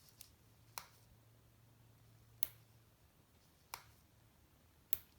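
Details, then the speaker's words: Vintage Cadola manual-wind mechanical watch during reassembly, after oiling the setting lever spring: faint, crisp single clicks about once a second as the crown turns; winding ratchet engaging cleanly. "the sound you want to hear not quite a tick-tock but turn right"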